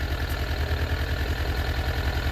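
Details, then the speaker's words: Suzuki Katana GSX-F 600 motorcycle idling: rough, lumpy idle with a heavy low throb about eight times a second; one cylinder dead, no spark on cylinder number 4. "This is spark number 4. Nothing, right?"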